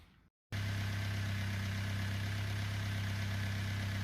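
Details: Engine at idle: loud, busy mechanical clatter over a low drone, noisier than it should be; owner notes the engine was never the quietest.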